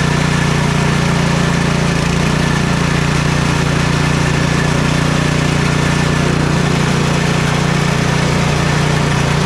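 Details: Troy-Bilt Storm 2420 snowblower (model 31AS6KN2B23) after ultrasonic cleaning/rebuild of its Huayi carburetor for won't-start/surging complaint: loud, even single-cylinder putter with steady beat, no surging or misses; smoke is only debris burning off the muffler. Normal idle.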